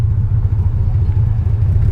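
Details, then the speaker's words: $200 salvage BMW 325xi E46 all-wheel drive at first stoplight on test drive: deep, lumpy, uneven idle rumble throbbing as if about to stall, though it kept running; rough idle, cause not pinned down. "First stoplight, is it gonna die? Sounds like it's gonna die."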